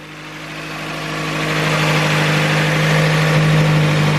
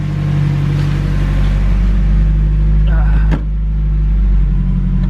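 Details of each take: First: Datsun B310 Sunny Coupe with an SR20DET swap, engine run up during the build: an even, steady idle that firms up slightly, with no misses or knocks and a faint fuel pump hum that is now much quieter. Idle is normal. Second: Datsun B310 Sunny Coupe with SR20DET swap, engine not finished (oil catch can and breathing still incomplete): revved on the pedal, it stumbles briefly mid-rise, then recovers and pulls on. A tiny flat spot in the throttle response.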